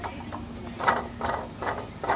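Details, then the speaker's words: 1998 Toyota Corolla with the serpentine belt removed: the suspected water pump, spun by hand, has noticeable play and gives dull, loose clattering bursts about twice a second. The belt tensioner is also slightly rattly. "here is what we think is the water pump it's got quite a bit of play you can hear it rattle"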